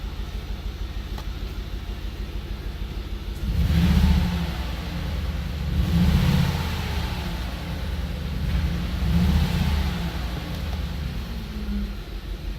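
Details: 2003 Audi RS6 V8 with replacement ECM: uneven lumpy idle then three quick revs, misfiring on cylinders 2 and 7, blamed on the ECM rather than a relearn.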